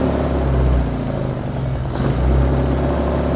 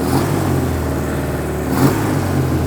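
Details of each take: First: Suzuki Katana being recommissioned, after swapping two end plug leads over a suspected failing coil pack: engine revs unevenly with stumbles and hesitation on blips, still rough and not fuelling right; owner suspects an electrical problem, cause unconfirmed. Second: Suzuki Katana four-cylinder being recommissioned, after swapping two swapped plug leads: revving cleanly with an even, steady beat and no missing pulses, now firing on all four; fueling still not right.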